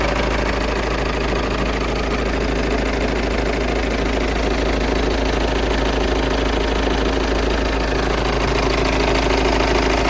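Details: Volkswagen Passat 2.0 TDI diesel at idle with a fast, fairly even ticking clatter of about three per second over the rumble, a strange noise from the engine bay; source not pinned down.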